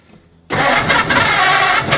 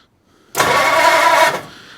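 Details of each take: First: 1940 Ford Deluxe coupe barn find with flathead engine, cranked with a poor negative battery cable connection: steady, uneven chug with ragged bursts as it tries to catch but doesn't; cranks, no start, fuel starvation from frozen carburetors needing overhaul. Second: 1940 Ford Deluxe Coupe flathead barn find, starter jumped at the solenoid with the trigger switch, distributor not yet hooked up: starter spins the engine briskly and evenly with no binding or grinding, engine turns freely; normal cranking.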